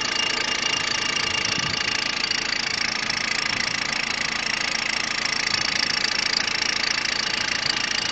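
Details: Peugeot 106 1.5 diesel (11/2002), 130,000 km, timing belt done at 73,000 km: steady idle with a fast, even ticking about two a second over a harsh hiss; engine noise at idle, cause unknown.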